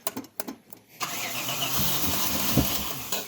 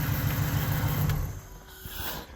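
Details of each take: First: 1994 Chevrolet Impala SS, not started for at least 5 years, 20 liters of fresh gasoline added and some poured down the intake throat; about a second of uneven cranking, then it catches roughly on throttle: hard starting. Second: 1994 Chevrolet Impala SS, not started for at least 5 years, after fresh gasoline and a hard start, idling while it warms up; low, even rumble that eases slightly partway, no knocks or rough beats: normal idle.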